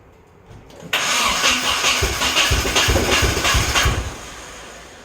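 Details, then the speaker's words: Nissan 240SX engine first start after rebuild, timing set at 20 degrees BTDC; fires and runs lumpy on maybe two cylinders for about three seconds then dies; heavy misfire, owner suspected low compression or a misfitted head gasket. "you can hear it kinda wanted to run it ran on like maybe two cylinders and I was concerned maybe the compression was bad"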